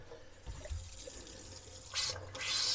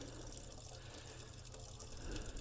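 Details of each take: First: 1978 Boler 1700 trailer being dewinterized, water pump refilling the tank: faint trickle, then uneven hissing spurts at the tap as air and water come out together; air still trapped in the water line. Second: 1978 Boler 1700 trailer, dewinterizing: even steady water flow with low pump hum, no sputter or gurgle; air purged from the water heater, pump stops and restarts with tap, flow normal.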